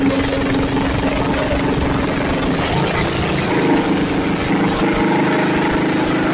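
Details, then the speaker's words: Budget junkyard Chevy 350 small block, first fire-up after rebuild on the floor, recorded on a phone: loud, raspy rumble holding a steady fast idle through open headers, no knocks or ticks. Normal running after rebuild. "these headers sound like absolute shit, and the audio on the phone that we were recording with made it sound even worse."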